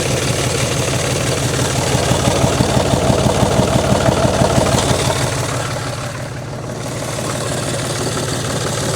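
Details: John Deere 5300 tractor idling after new alternator fitted, battery up from 11.8 V to 13.17 V: even diesel idle knocking along at about three beats a second, no misses; normal idle, alternator charging.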